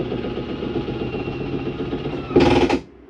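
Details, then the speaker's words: Jayco Jayfeather Micro 166FBS travel trailer, short slide-out retracting: electric motor whirs steadily, then a brief louder rattling grind at full retraction as the slide mechanism stops itself; normal. "to hear that noise at the end for a second. That's just the slide mechanism telling itself not to go in any further."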